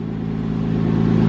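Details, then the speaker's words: 2005 Porsche 987 Boxster S, unknown mileage, sat non-running for years: faint light lifter tick over a steady idle just after a cold start, fading within moments; not a loud knock. "Again, it is not a loud like knocking noise or even a loud like tapping noise. It's just a small lifter noise."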